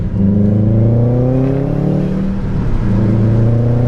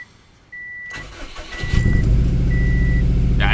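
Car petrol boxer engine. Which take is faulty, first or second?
second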